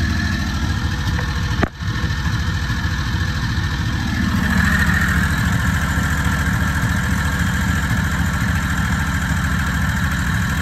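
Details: Predator 670 22HP V-twin golf cart engine during carburetor idle adjustment down from about 1800 rpm warm, target 1200–1300 for smooth F-N-R shifting. An even, fast putter that eases slightly but stays high. Idle is still too high.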